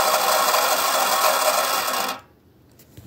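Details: Unused HO-scale integrated turntable, believed from the 1990s, spinning with a 2-6-0 Mogul locomotive on it: steady raspy grinding hiss, then stops; drive gearing sounds rough, cause unconfirmed.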